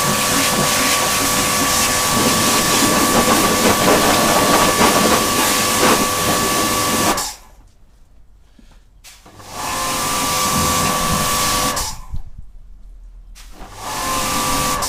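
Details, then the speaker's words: Karcher K7.20 pressure washer after repair: steady motor hum with a clear mid-pitched tone and spray hiss, even through each trigger pull with no struggling; normal operation. "Ну, получился отличный аппарат, хорошо работает."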